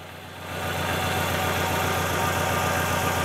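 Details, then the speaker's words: Fiat Palio at idle, fault first seen when cold, no check-engine light. Lumpy, uneven beat with a missing pulse each cycle: one dead cylinder. "todo Aparentemente bien pero hay un cilindro apagado un cilindro que no contribuye"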